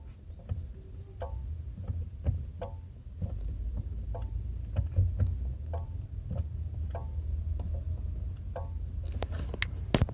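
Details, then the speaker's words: Chery Tiggo 7 Sport makes sharp metallic clicks, one or two a second, some ringing like a spoon hitting a pan, over low engine rumble when the brake pedal is pressed; longstanding, cause unknown, owner will take it to the dealer. "batendo, como se fosse de uma panela e você tivesse batendo com a com a colher. Ele fica fazendo um barulho parecido com isso, ó."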